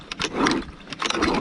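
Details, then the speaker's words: Second old engine block, seized and freed, diesel inside: two short rough scraping bursts as it is turned over, gritty and uneven instead of smooth; badly damaged internals. "Et lui, c'est pareil. J'ai réussi à le débloquer, mais c'est mort de chez mort."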